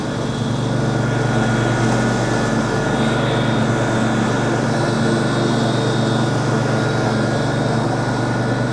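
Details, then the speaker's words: Mower engine cutting 25–30 cm (10–12 in) grass after fixes: loud steady drone holding pitch, no bogging, machine doesn't feel the load; mower deck sounds different, almost electric; normal running under load. "I can't even feel that it is cutting. The machine doesn't feel it. Wow!"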